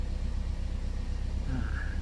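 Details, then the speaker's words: Old Toyota Vios after A/C idle-up retune, A/C switched off: low steady idle rumble easing down under the delay box to about 900 rpm without stumbling; normal idle. "ตอนนี้ปิดแอร์อ่าปิดแอร์ก็รอบก็รอสักพักนะครับเพราะว่าตอนนี้กล่องหน่วงทำงานอยู่ก็จะไหลลงมาประมาณ900"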